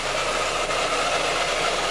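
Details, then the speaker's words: Peugeot 207 at idle: loud constant clattering whir heard strongly at the camshaft area; lubrication problem to be checked, cause unknown. "este ruido nos lo acaba de traer nuestro cliente y el ruido se escucha fuertemente en la parte de las levas"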